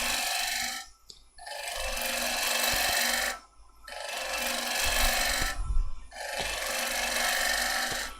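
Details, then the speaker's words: Woodturning, roughing away waste: three long, steady hissing cuts with short pauses between passes. A sharp gouge riding its bevel peels strong ribbon shavings, the clean cut wanted rather than fine scraping. "you see the nice ribbons I'm getting off of it I come in scraping it I'm getting little fine ribbons I want nice strong ribbons"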